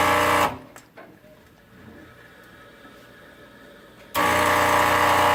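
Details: Rocket Premium Plus: loud steady pump buzz with a hum underneath cuts out for a few seconds, then returns just as loud; cause can't be pinned.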